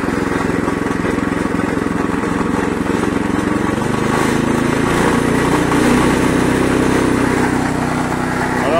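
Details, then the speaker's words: Oxeo 760312 garden shredder with 7 hp OHV engine, chipping branches: engine holds an even steady pitch with no hunting, governor not oscillating under load; runs smoothly. "on entend bien, le moteur tourne rond. Il n'y a pas de waouh waouh waouh lié à un gouverneur mal réglé."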